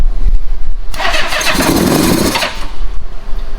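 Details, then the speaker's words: Old Honda Goldwing after the plugs were pulled and cleaned and the timing belt was checked: it catches for about a second and a half of rough, uneven firing, then falls back to cranking. Owner thinks it is probably running on leftover starting fluid. "It's promising. It's probably just the starting fluid that was in there."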